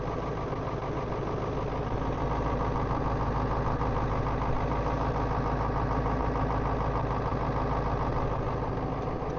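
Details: Ford 7.3 diesel pickup with aftermarket block heater, hard starting in cold around 22°F, glow plugs cycled twice, jump pack at 50%; catches and settles into a lumpy uneven idle with steady clatter.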